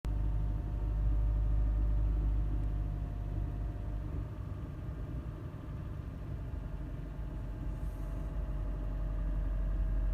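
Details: 2015 Honda Fit petrol engine with loud rumbling and grinding on every start-up, loudest in the first 5 seconds, persisting however long it idles; heavy rough low rumble with faint grinding edge; cause unknown.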